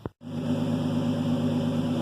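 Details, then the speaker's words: Newly replaced rear differential, the old one worn with excessive free play and knocking, run up through the gears to check the seals: steady, smooth drivetrain hum with no knocks or clunks; the new diff sounds healthy. "It's working! I'm so excited!"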